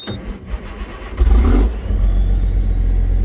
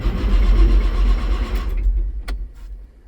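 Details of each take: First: Case STX375 articulated tractor, started after programming a new transmission control module for a transmission fault: short crank, fires at once, settles to a steady, even low idle rumble; normal start and idle. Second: Case STX375 articulated tractor with Cummins diesel: starter cranks evenly at about four turns a second and never catches; engine fault code 428, fuel pressure low at the fuel rail, so no start.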